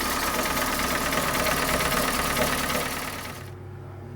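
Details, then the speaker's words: 2012 Hyundai ix35, G4NA engine, 127,000 km, check engine light on: hard steady diesel-like knock about three beats a second at idle until shutdown; teardown found pistons slapping scratched cylinder bores. "Ну и вот причина стуков, это вот она. Блин, как бы показать. Вот. То есть поршень стучит об цилиндр."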